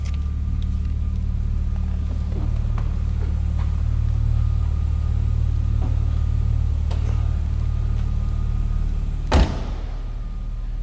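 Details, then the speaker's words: 1998 BMW Z3, DOHC inline-six, 5-speed manual, nearly 30 years old, at idle: a smooth, even, low drone with a door thump near the end. It sounds like a stock Z3 and healthy. "like you'd expect stock 98 Z3 to sound. Nothing crazy over the top."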